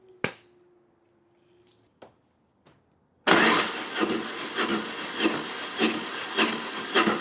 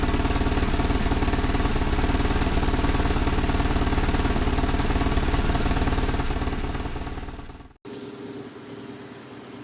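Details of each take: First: BMW GS motorcycle cranking with spark plug out before compression test: rhythmic, uneven, slightly offbeat chuffing without firing; low cylinder compression with tight valve clearances, later adjusted along with chain tensioner. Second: BMW GS motorcycle, warmed up, after service, valve clearance adjustment and new spark plugs: smooth, evenly paced idle with no misfires, then a clean shutdown. Running much better than before. Normal idle.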